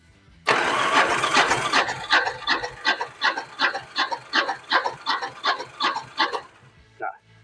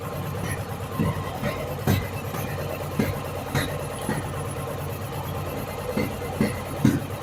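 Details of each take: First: Yamaha Virago 1100 cranking on the starter during a rear-cylinder compression test with a gauge fitted: even, strong puffs about two to three a second. Good compression, and valve clearances were found correct. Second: Yamaha Virago 1100 V-twin during valve adjustment and carburetor synchronization, warm and running with the air filter off; lumpy idle with sharp irregular intake pops every second or so.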